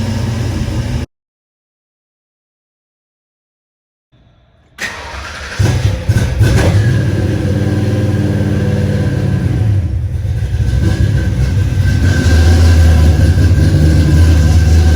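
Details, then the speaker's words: Pre-1993 Fox-body Mustang after swapping to the 1993+ style starter: short quiet crank, engine catches cleanly with no clanging or grinding and settles to a smooth idle; previously made a loud metallic clanging when starting. "All right, so as you can see, you can barely hear the car start now. Before, it would have this crazy loud kind of metal clanging weird sound."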